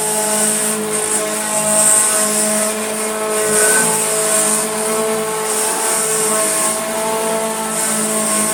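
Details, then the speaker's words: Hoover Junior Dirtsearcher 1354A vacuum bought on eBay, first switch-on as received: steady motor whine with several tones over hissy airflow, slightly wavering, vibrating heavily; rough running of unclear cause, though it still cleans. "Ooh, well, it's vibrating like hell and sounds a bit interesting, but will it clean?"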